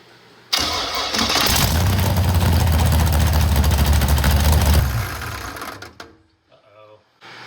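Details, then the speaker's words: FD Pro drift car started with the transmission removed: the engine runs loud and heavy with a steady knocking undertone of about three beats a second, the same noise as before, caused by a loose flywheel. "it's still making that noise that's not good but we will continue to take apart"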